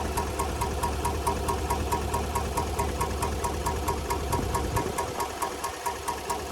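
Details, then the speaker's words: 2019 GMC Sierra 1500 5.3L V8 with a sharp steady tick about twice a second over a rough idle; failed lifter tied to the DoD/AFM active fuel management system, needing lifters and camshaft. "This is a 2019 GMC Sierra 1500 with a 53. And this is going to be a lifter tip."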